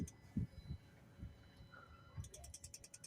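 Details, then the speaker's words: Ford Transit MK8 with a new fuel vaporizer fitted: faint, quick, even ticking of about four or five a second from the fuel pump on the fuel line; normal. "need a little tick there tick tick tick tick that's the fuel pump which is located just over there on that fuel line"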